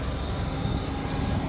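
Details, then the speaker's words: BMW E38 750iL V12, a moldy former parts car, running after its fuel delivery was sorted: deep, smooth hum with an even steady beat and no misses, knocks or whine; runs really well. "runs really good sounds better than one I just got at all"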